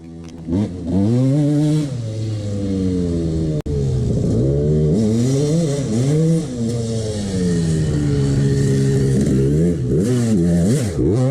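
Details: 1989 CR250 two-stroke revving up and down unloaded with a hollow metallic rattle under the exhaust; worn piston slapping in its bore, ignored by the owner.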